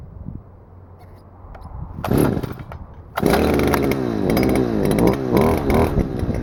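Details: Stihl FS-250R two-stroke trimmer after carburetor rebuild kit (hardened diaphragm from long storage with old fuel), wet grass: quiet handling, then revs up and holds high buzz while cutting; normal running under load after repair.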